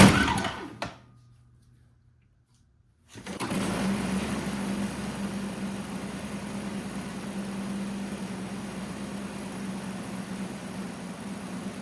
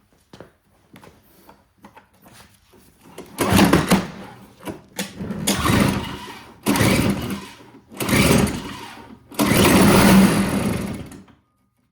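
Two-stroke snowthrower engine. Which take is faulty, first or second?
second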